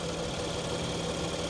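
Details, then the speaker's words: 2017 BMW X5 twin-turbo, about 40,000 miles, cold morning: steady, even idle with a light, fast ticking over a low hum; a bit clicky-clacky but normal and rock steady. "she sounds like a BMW engine too I mean a little clickey clackety but not not too much she is just Rock Steady though yes sir"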